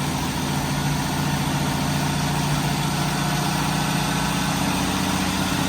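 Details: 1985 Jeep CJ7 250 cubic inch six-cylinder, just started after a Holley Sniper EFI install; settles straight into an even steady idle, smooth low rumble, no misses, knocks or hunting; normal idle.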